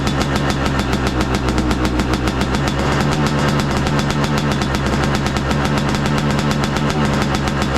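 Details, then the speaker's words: 2023 Yamaha YZ250 two-stroke with new Boyesen Rad Valve, on stand at freezing temperature: cold idle on choke, crisp rapid steady popping with no surging or hunting, not revved; idles cleanly, sounds crisper, jetting untouched. "so I don't want to go revving on the bike. It's just idling on its choke."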